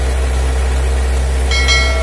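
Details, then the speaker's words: Factory-stock Mitsubishi L300 4D56 diesel, untuned since 2016, that was weak on hills and slow to pull. After valve and injection pump adjustment, the idle is steady and even with a dry clatter that is not too rough. Normal idle. "oke penyetelannya udah selesai halur suaranya Udah lu udah kering tapi enggak terlalu kasar dan bekasnya pun juga kontan"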